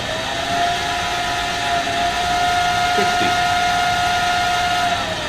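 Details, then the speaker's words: ATV31 variable frequency drive, forward run, speed pot raised from 0 to 25 Hz output: steady electrical whine near 700 Hz over airy hum; motor spinning smoothly, normal. "If I slowly increase this right here, now you should hear that motor spinning. Now I have an output of 25 hertz."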